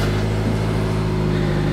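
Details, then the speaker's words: 2007 Nissan Sentra 2.0 L after fuel pump replacement: it catches and settles into a steady, even idle with no stumbles, with the pump heard running and no check engine light. Normal idle. "to hear the fuel pump winding nicely do you have any errors probably not no check engine light and it is running smooth as the date rolled out of the factory"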